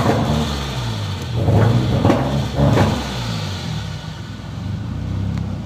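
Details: Nissan SR20DET with stage 3a upgrade, 555 Nismo injectors, Z32 AFM and AVCR boost controller that won't rev past 2,500–3,000 rpm with the MAF plugged or unplugged: idle wanders unevenly, swelling and dipping with dull thumps, never settling.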